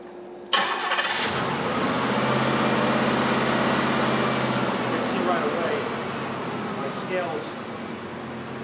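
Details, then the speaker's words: 1992 Cadillac DeVille 4.9L, runs rough despite a replaced TPS: cranks, catches, then idles with an uneven loping beat, dead miss on one cylinder; scope shows a shorted injector drawing over 11 amps, replacement recommended. "it's running pretty bad it's actually got a dead miss on one cylinder"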